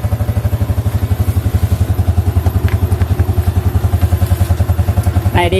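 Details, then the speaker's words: Older Yamaha Jupiter MX after disabling the AIS system (vacuum membrane was leaking): steady thumping single revs and drops back cleanly off throttle, no exhaust pops or bangs; deceleration backfire fixed. "ada lagi ledakan ya Di knalpot ketika gasnya kita turunkan ya"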